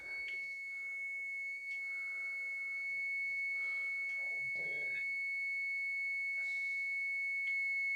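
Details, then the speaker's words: 50cc moped engine on the bench while setting points and timing: the points tester gives a steady high whistle throughout, showing the timing is far too advanced and the points plate must be turned further. "it's okay it's way advanced so we've got to push this plate around further"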